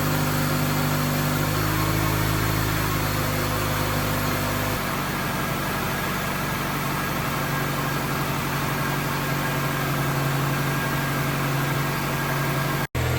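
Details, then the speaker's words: 2004 Honda CR-V automatic after replacing the transmission end cover and refilling with correct fluid (whine had been present from startup at idle): smooth, even idle with no gear whine, so the transmission sounds quiet and fixed. "think we did it I don't hear any whining so far now we should really be able to tell"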